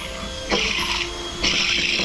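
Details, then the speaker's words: SS 815 air starter teardown: a bearing spun by hand gives two short bursts of gritty, rough rumbling. The bearing is worn and has to come off. "as you can hear it. That bearing's no good. That bearing's got to come off."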